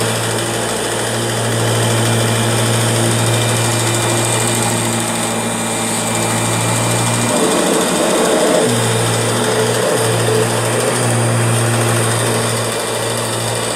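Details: Kirby G6 vacuum running: steady motor hum with busy rattling chatter on top, briefly dipping mid-run; abnormal noise, cause unclear.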